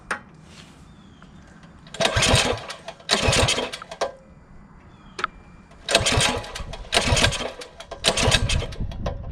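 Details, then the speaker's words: Coleman CT200U-A minibike engine after the carburetor mixture was turned down: six short sputtering bursts, each catching for about a second then dying, so it is hard to start with those adjustments. "hard to start with those adjustments"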